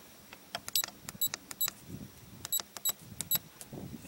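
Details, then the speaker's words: RV Lock keyless entry door handle keypad, after covering the piezo speaker opening with a few layers of Gorilla Tape: short, quiet high chirps answer each key press over faint handling clicks; beeping now much more subdued. "the beepings a lot less on it yeah that's a lot a lot better a lot more subdued"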